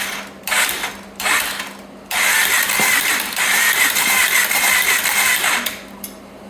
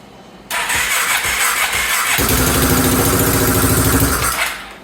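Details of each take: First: 2014 Polaris Sportsman 570 ATV engine after rebuild, on a weak battery: short bursts of steady, even cranking with a light ratcheting whir and no binding or clunks. Engine turns over normally. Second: 2014 Sportsman 570 ATV first running after top-end rebuild: catches and runs with sharp puffing tick each firing stroke, lots of smoke; exhaust leak at head because the Rev 6 kit exhaust ring isn't sealing, to be replaced with other ring.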